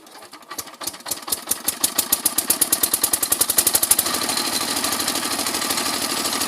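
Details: Kirloskar single-cylinder diesel that was smoking: distinct thumps pick up to about three per second and blend into a steady chuff; engine, main parts and nozzle are fine, and the fault is traced to a damaged fan impeller.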